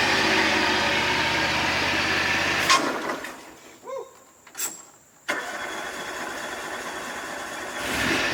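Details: John Deere X540 mower after replacing the two failed ignition coils that caused no spark and no start; the twin runs steady and even for a few seconds, then shuts off cleanly with no misfire or stumble.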